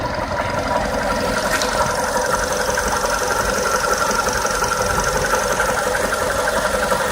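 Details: VW Polo Sedan engine: fast light knocking, about three taps a second, over a steady idle; engine knock, cause not yet pinned down.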